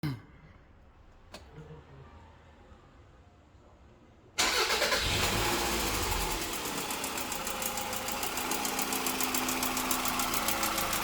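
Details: Toyota Estima with 2AZ engine: catches after a quiet pause, then a sharp even tick about three a second rides the idle; engine knock caused by defective factory spark plugs.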